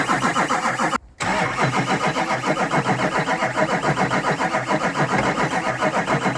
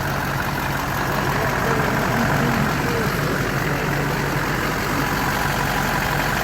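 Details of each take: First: Rebuilt Duramax diesel truck with injectors and rails swapped, fuel being pumped to purge air up to the injectors. Steady starter cranking at about 3.5 turns a second with no firing; it won't start until the air is purged. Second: Rebuilt Duramax diesel with new injectors and rails, first start after rebuild, not yet at operating temperature: steady even diesel clatter and a smooth low rumble at idle, no knocks or misses; normal idle.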